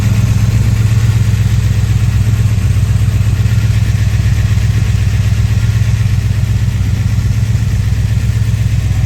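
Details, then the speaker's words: 1970 Dodge Challenger V8 after misfire diagnosed and carburetor adjusted: deep, even lumpy idle about four beats per second, no stumbles; normal running, though it leaks coolant. "Everything's working as it should right now. She does have a lot of kick in her."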